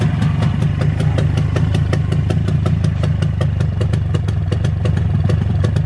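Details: Freshly rebuilt Jawa/ČZ 360 two-stroke twin: even, steady idle with crisp regular firing ticks and no stumbles or hunting; both cylinders sound balanced, owner calls the carburetor very good and synchronization good. Normal idle.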